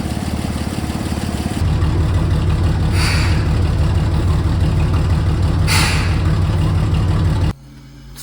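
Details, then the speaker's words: 1952 GMC 6500 two-ton truck engine started after sitting for a weekend, before removal: catches quickly and settles into a smooth, even idle with a steady low beat, no knocks or misses; normal cold start and idle. "after sitting for a weekend will it start [Music] easy [Music] that's such a good running motor"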